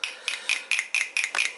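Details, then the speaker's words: Symmons C5 spindle, under a year old, that had seized: after a white-vinegar soak, hot water and tapping, it gives crisp, evenly spaced clicks, about four or five a second with no grinding, and indexes freely. "I ran it under hot water, and I tapped it on a window. Now it started clicking."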